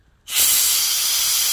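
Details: IPR valve from a 2005 Ford F-350 6.0 Powerstroke that quit while driving and won't start, bench tested with air: sharp steady hiss that doesn't change or cut off when 12 volts applied; valve stuck open, replaced with new one.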